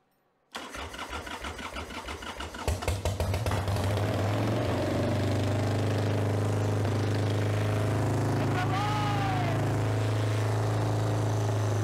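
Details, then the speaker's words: 1995 Harley-Davidson Sportster Evo V-twin after owner's top-end rebuild (new front cylinder parts, Cometic gaskets), battery charged after 7–8 months sitting, carburetor dry: cranks and catches within a second, settles into steady even lumpy idle, no knocks; healthy start. "so needless to say I'm pretty EXC excited I wasn't really expeced it to crank up as quick as it did but I'm pretty excited that it cranked up"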